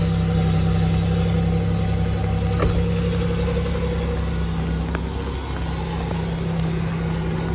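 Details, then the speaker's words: Ford Mustang 5.0 V8 started at a dealer auction walkaround: deep idle with an uneven, lumpy beat and a small dip; sounds rough, possibly muffler-related, cause not established. "taking the lid on anything it sounded kind of rough us come here partly sound like a muffler or something"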